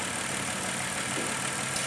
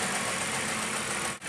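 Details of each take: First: Running engine during an oxygen sensor test, vacuum port cap deliberately removed: steady airy hiss over an even idle; the open port creates a vacuum leak leaning out the engine. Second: Car at idle during oxygen sensor test, O2 switching and short-term fuel trim near zero: steady even idle with smooth hiss, no knocks, misses or surges; engine running fine.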